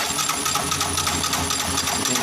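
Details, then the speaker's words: Yamaha YBR motorcycle running after the bendix was refitted: light, thin metallic ticking and scraping repeating quickly over a faint engine; bent crankshaft makes the flywheel's inner face rub the stator, engine to be dismantled and crankshaft replaced. "mas a manivela tá empenada pessoal da sua moto danificando aqui ó a parte interna aqui do volante aqui ó pegando aqui na nessa parte do estator aqui"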